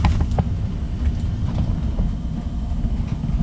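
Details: Old Rheem forced-air gas furnace running again after troubleshooting transformer and thermostat issues (it had quit in winter): steady low roar with a few light ticks, no squeal or rattle; fan came on, burner and blower running normally.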